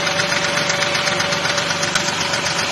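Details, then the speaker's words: Engine at about 200,000 miles with charging system on load tester, AC compressor running: fast light ticking at warm idle from a lifter in the top end, blamed on the oil in use; a 50-weight oil is recommended instead. "so you can hear that little tapping inside the engine that's one of the lifters and that's because we're using this oil"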